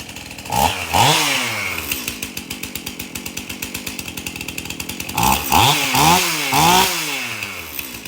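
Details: Stihl MS271 chainsaw, hard to start, suspected bad fuel; after tank found clean and fresh mixed fuel added: steady popping idle with quick throttle blips rising cleanly and dropping back evenly; runs pretty good.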